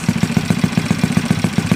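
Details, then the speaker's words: Yamaha Mio Sporty 180cc build, 59 block, 50RT big-valve head, 1.5 pin, on stand before chassis install: crisp even single-cylinder putt about seven beats a second, no misses or knocks; quiet clean idle, high-revving. "Yan na guys, okay naman. Maganda naman yung under nya. Tahimik naman, tsaka maayos yung minor."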